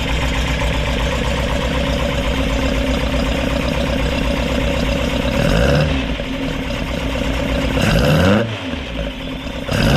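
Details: Rebuilt Ford crossflow race engine in a Vixen with loaned cylinder head, first run after repair; steady lumpy idle with three clean blips rising and returning evenly; seems to run well, to be checked further when warm.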